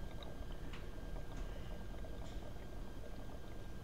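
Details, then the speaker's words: Solar power battery being topped up with distilled water through a filler bottle: faint bubbling and gurgling while the cell draws water, which stops when the cell is full. "push all the way down and you hear it you'll hear it gurgling and when it stops gurgling it's full"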